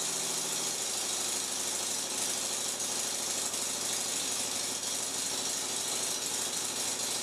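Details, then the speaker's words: Flooded, much-too-rich engine fired up after the gas was flicked on and off while cranking. It holds a steady rough idle with a loose, uneven rattle over a hissy background, and a large exhaust leak is suspected at the front. "so look like that idea of just flicking on the gas worked at least it fired up running poorly though"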